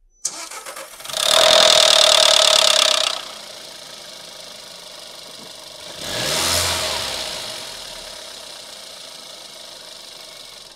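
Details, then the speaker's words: VW 1.4 TSI/FSI cold start before oil pressure builds: a harsh metallic timing chain rattle that fades as the engine settles. The chain is worn and slack and the tensioner pushing the plastic guide fails to keep it tight; the chain is being replaced. "Bon, on a bien entendu le bruit alors. Le bruit qu'on entend au début, c'est parce que le tendeur de chaîne, donc c'est cette pièce-là."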